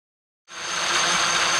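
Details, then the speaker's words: Traxxas X-Maxx after Cushdrive repair: motor spins up to an even steady high whine with no high-low surging as before, smooth drivetrain though a slight tight spot remains. "you can hear how it's real consistent now it's not going high low high low high low like the last video yeah that's way better guys way better"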